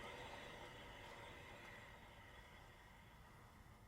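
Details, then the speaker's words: Toyota FJ Cruiser front wheel hand-spun: gritty steady rumble fading as it coasts, both front wheel bearings bad, a typical FJ problem. "you hear that we actually have both front wheel bearings are bad on this thing this is just the typical thing with these"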